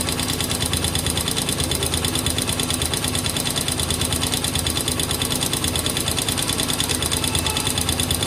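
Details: Honda XR200R single-cylinder engine at idle, newly bought; quick fairly even tapping about three times a second over the idle; owner suspects abnormal engine noise, cause unknown.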